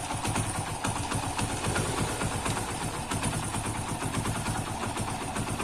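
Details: Hero iSmart 110 single-cylinder motorcycle with an engine noise problem, timing chain kit changed: steady, even idle with a regular soft beat and no tapping or chain rattle, sounding healthy.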